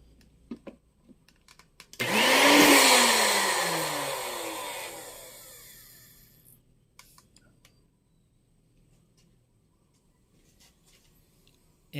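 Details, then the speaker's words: Magic Bullet blender tested without the crossblades fitted, after plug checked for a short: high clean motor whine spins up, holds a few seconds, winds down evenly; motor working fine. "the motor is working just fine now"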